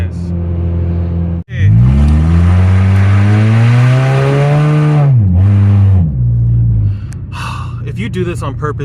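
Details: 2004 second-gen Honda CR-V with stolen catalytic converter: deep loud blatting drone rising in pitch as the engine pulls, even at very low speed.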